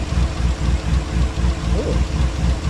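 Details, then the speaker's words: Chevy Tahoe at operating temperature, before an engine flush: low, even idle pulsing about 4 per second with no sharp knocks, quieter than when cold. Owner suspects the oil pickup tube clogs when cold. "So the engine's up to temp, and as you can hear, it got a little quieter."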